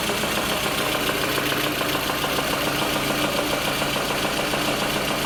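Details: Lada Kalina petrol engine at idle, running poorly with low fuel rail pressure suspected (pump or filter); fast uneven tapping plus a thin high scrape, source not yet found, cause unconfirmed.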